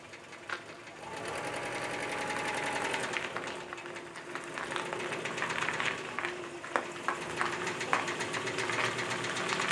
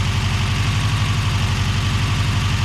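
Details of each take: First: Subaru Brumby engine with a blown head gasket runs thinly with a rapid, sharp rattling knock about four times a second: rod knock. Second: Subaru BRAT after engine swap, replacing a rod-knocking engine: steady even low-pulse idle, no knocks or misses; normal idle.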